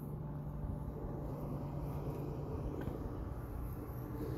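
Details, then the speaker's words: Old pop vending machine compressor building pressure: steady even low hum, no knocking or clicking; lines hot, ice cold down below, cold air coming out, compressor working. "sounds like compressors making this building pressure I can hear the typical compressor sounds those lines are hot that's ice cold down there so compressor is working"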